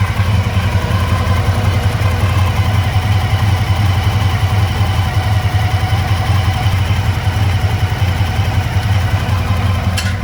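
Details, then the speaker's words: 1985 Honda VF1000R V4 sitting three or four years, warm: uneven, loping idle running on three cylinders with the rear right cylinder dead, suspected pilot jet blocked by float bowl muck; carbs to be cleaned. "yeah so we can see uh the rare right cylinder uh is definitely not uh is definitely not running at idle"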